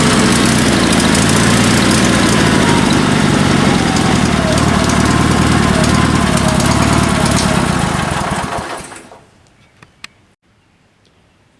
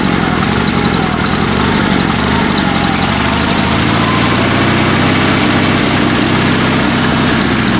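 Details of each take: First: Sears Suburban SS16 twin-cylinder tractor on rebuilt spare engine after a broken connecting rod: lumpy chug near 230 a minute runs evenly about eight seconds, then fades and dies; idle cutting out, owner suspects fuel/carburetor pulse pump, unconfirmed. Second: Sears Suburban SS16 garden tractor, twin-cylinder spare engine rebuilt with spare pistons and crankshaft after a broken connecting rod, previously running on one cylinder; steady even Harley-like idle firing on both cylinders, no skips; some cutting out suspected fuel-related.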